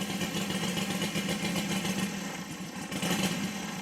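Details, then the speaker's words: Saito FG60 R3 radial on break-in, very rich mixture per manual: uneven burbling beat near 1100 rpm held on a crack of throttle because it won't keep idling unassisted; rich-running idle. "now remember it's super rich so it's not going to run really good and it really um it really starts pretty easy"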